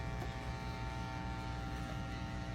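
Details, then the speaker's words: Church PA powered speaker and monitor: loud, steady low hum with a buzzy edge, worse when the electric fan is on; interference from the shared power line feeding the audio gear. "So ang nangyari kasi napakalakas po ng ugong. Napakalakas ng ingay nito kanina no. Lalo na kapag binubuksan yung electric fan."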